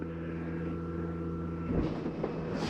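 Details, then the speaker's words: 2022 Bighorn 37DB fifth wheel hydraulic slides extending one at a time, last slide going out: steady low even pump hum, load shifting partway, winding down when done; normal hydraulic pump operation. "think it's just the last slide right here going out of that you're here it's a reduction in the engine and wind down that's when you know it's ready"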